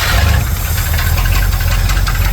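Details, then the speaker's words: 1977 Dodge tow van V8 with spread-bore Holley carburetor and all-new fuel system (tank, lines, filter, pump), new plugs, wires and ignition module: deep even rumble at idle, steady low throb, no misses or knocks; running healthy. "A a new fuel system end to end. New tank, new lines, new filter, new pump, new carburetor."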